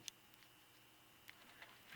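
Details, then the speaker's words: Synchronous 120VAC gear motor from an animated Cutty Sark ship display: sharp, irregular clicks over faint hum as the clutch ring slips under strain instead of turning with the motor. "when it pushes on that gear it puts too much strain on the motor and then it just slips to the this turns but this doesn't enhance the clicking sound that's what the clicking sound is from"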